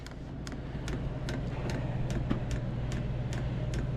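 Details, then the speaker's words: Diesel heater trying to start, pump possibly faulty or lodged: sharp, slightly uneven ticks about 2.5 per second over steady fan rumble as the dosing pump delivers fuel; fuel pump ticking, cause unconfirmed. "It is pumping fuel there. It's going to take a minute to get her up and around."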